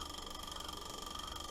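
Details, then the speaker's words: Ford Model T coil box (buzz box) on a tester built from a Model T flywheel magneto, cranked to fire a spark plug: steady high-pitched buzz with quick, even pulsing and no dropouts; coil vibrator firing cleanly, working. "It's working. Yeah, don't touch that. But it's basically made out of a magneto that's in the Ford Model Ts."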